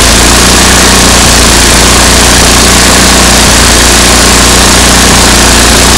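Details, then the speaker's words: MTD 8 hp two-stage snow blower, Tecumseh engine sat about 10 years, after carburetor work and backing the bottom mixture screw out: loud steady single-cylinder idle with no surging or stumbling, idling like it should; sputters slightly pulling up to speed. "Alright, it sounded pretty good now. Idling like it should."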